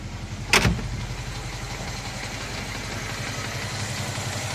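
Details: Moskvich 2140 engine: after it catches, the idle carries a steady low, regular knock that keeps time with engine speed; the source of the knock is not pinned down.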